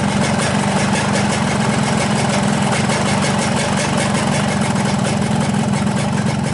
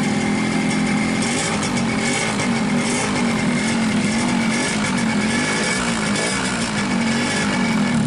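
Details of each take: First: 2003 Yamaha RX-King two-stroke after replacing the loose piston: a steady, even idle with a smooth low beat, and the earlier rattle from the piston wobbling in the block is gone. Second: 2003 Yamaha RX-King two-stroke with low compression that won't hold idle: ragged, unsteady running with a constant rattling clatter from a loose, worn piston slapping in the bore; fix is a new piston and cylinder rebore.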